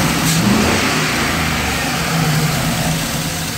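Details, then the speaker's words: 2003 Chevy Express under light throttle: an uneven, stumbling exhaust beat from misfires mainly on cylinders 6 and 8. Plugs, wires, O2 sensors, MAF and fuel pump were already replaced; fuel pressure is about 45 psi, and the owner suspects the pump. "I'm still getting my nice fire coats here and I noticed they come on more when I get on the gas mainly our numbers six and eight"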